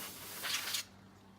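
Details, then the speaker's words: Compressed-air duster can used to clean dust from a Z97 4790K PC: a short hiss fades to a thin, weak sputter as the can gets icy cold and loses pressure, needing a break to warm up. "It's getting icy cold. I don't know if you can hear, but the compression isn't as good as it was when it was."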